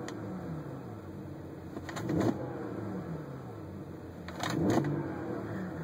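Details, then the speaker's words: BMW N54 turbo engine at idle with quick revs: brief ratcheting rattle as revs rise and fall from the turbocharger wastegate, typically a failed pivot bearing where the arm enters the turbo and the valve not sealing. "that's actually the wastegate's rattling."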